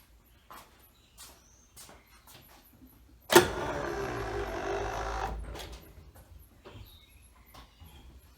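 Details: OMC outdrive tilt motor after replacing a broken lift gear: a few light clicks, then the electric motor hums steadily for about two seconds as the drive tilts down, then stops; smooth normal tilt operation after repair.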